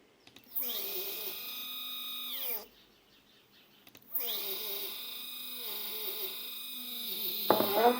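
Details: Two same-spec stepper motors wired in parallel on one driver at 4 A peak, speed 1000 to 2000. Loud whining tones glide up and down with each move, stop, then resume; back EMF interaction between the motors is suspected: loud stepper motor noise.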